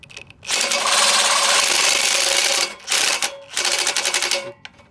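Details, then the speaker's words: Old push reel mower being back-lapped with grinding compound, reel spun backwards: harsh continuous scraping grind in bursts, metal dragging hard on the bed knife; reel adjusted too tight. "I think I tightened uh my blade just a little too much so I'm going to loosen it just a tad"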